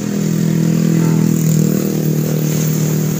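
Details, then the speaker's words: Honda Supra motorcycle drive chain that rattled when old, after adjusting both sides equally (2.5) and flipping the chain: engine ticks over with a smooth, even hum and no chain rattle or slap, now quiet. "Lihat, sekarang sudah tidak berisik lagi, kawan. Diam. Sekarang juga sunyi."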